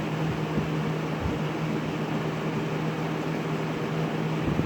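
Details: Lakewood S223 second-generation 20" box fan running on high: smooth, even whoosh with a steady low hum, no rattle or ticking. Bearings sound very nice, possibly oiled at some point; grill has one screw missing. Normal running.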